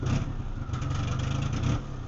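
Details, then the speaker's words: Metro engine just reassembled with suspected timing problems and loud exhaust: revs climb briefly on sudden throttle, then bog and sag as if starving for fuel; slight bog on light throttle too. Hesitation on acceleration. "but the main thing here is it doesn't seem to have any acceleration sudden acceleration you can just it just starves the fuel like this"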